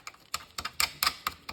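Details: Wahoo Kickr Bike bottom bracket bearing, removed and turned by hand, giving sharp, uneven clicks and a dry rasp: worn out, unlike the okay bearing on the other side, so the bottom bracket is being replaced.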